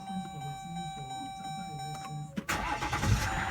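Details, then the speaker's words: 2018 Jeep Grand Cherokee with P0336 crankshaft position sensor code, after repairing the crank sensor wiring and socket: a few seconds of steady cranking, then it catches promptly into a smooth idle; healthy start after repair. "and it's running voila and the vehicle is running"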